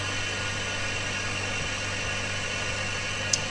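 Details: BM03 vacuum laminating machine running program 1, the organ-applying process: steady even hum and hiss with a faint low drone, no knocks or surges; cycle running normally.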